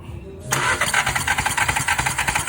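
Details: 2016 VW Jetta 1.4 turbo with a cylinder 2 misfire, coils already swapped. Starter spins the engine in quick even pulses, five or six a second, without firing during a compression test.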